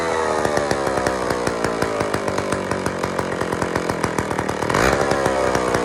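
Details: IEL Pioneer HM chainsaw, old two-stroke, first run after fuel-system priming: rapid even crackle with a brief blip near five seconds; running on its own, carburettor needs fine adjusting.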